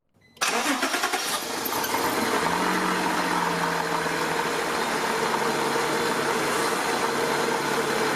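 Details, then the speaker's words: 1992 Acura Legend engine catching and settling into a steady idle with a light, quick ticking knock riding on it, long-standing noise attributed to a faulty timing belt tensioner, to be checked with a stethoscope before replacement. "you've probably noticed a caption in at least a couple of the acura legend videos on the channel that mention the knocking noise you may have heard when the engine is running as being a faulty timing belt tensioner"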